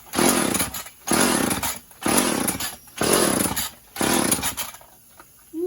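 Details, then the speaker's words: Chainsaw after sitting about 1.5–2 years in a shed, run without bar or chain; crisp throttle blips rising cleanly to a high buzz and back to idle; runs fine, normal running. "Been sitting in the shed for about 2 years, A year and a half, right? but it runs just fine."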